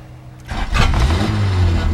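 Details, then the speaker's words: 1981 Honda Accord manual, restarted out of gear; brief crank then catches at once and settles into steady even idle without misses; healthy start. "at least it starts up just fine"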